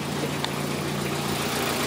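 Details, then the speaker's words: 2003 Toyota Corolla with intermittent P0301 cylinder 1 misfire and power loss, after replacing bad fuel injector: even, steady idle with smooth low hum, no skips or stumbles; misfire counts all zero, running cleanly. "Look at, it sounds better, it runs better now."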